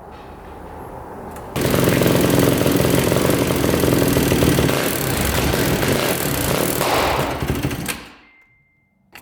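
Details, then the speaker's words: 2006 Yamaha YFZ450 special edition quad, single cylinder, struggling to idle, blowing sweet-smelling white smoke, backfiring without choke; lean, rough running with a fast uneven top-end tick over the exhaust and occasional pops; owner suspects valves, possibly a mid-body carburetor gasket air leak. "I can tell you that there is also a ticking in the top end I think it's just valves though"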